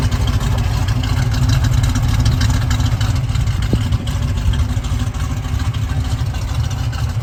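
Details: 1971 Chevrolet Camaro RS Z/28, 350 V8, 4-speed, frame-off restored; deep, lumpy idle with steady low rumble and even firing pulses, no knocks or ticks, healthy.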